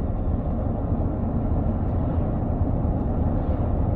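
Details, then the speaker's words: BMW E31 cruising at light throttle: deep steady droning rumble, visceral with no knocks or whine; occurred only on a month-old road surface, so road-induced drone suspected. "yet there is a huge ramble it really is visceral very noticeable and very worrying"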